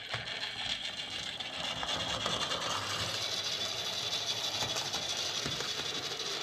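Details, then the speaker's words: Lima Class J50 model locomotive after CD motor conversion and extra pickups: light, fast whir with soft clicking about three a second from the track, running smoothly; an odd noise was cured by refitting small washers on the correct side of the motor plate. "that sounds better that sounds a lot better yeah i think that's what it was i had those little washers on the wrong side of the plate"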